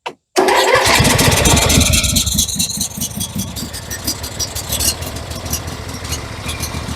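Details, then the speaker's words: MTD 21 hp 46-inch lawn tractor with Briggs & Stratton V-twin, parts machine, on a jump pack, plugs just refitted: catches after short crank, runs rough with uneven pops, a little smoky, then dies; cause unclear, owner suspects jump pack or shutoff solenoid. "what it's a little Smokey but something that's and she just cut off"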